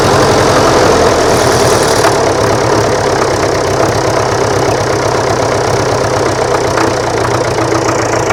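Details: Tractor diesel at idle after timing was adjusted (popping earlier suggested too far advanced; backed off a little): steady, even clatter with a firm beat and no popping; runs properly.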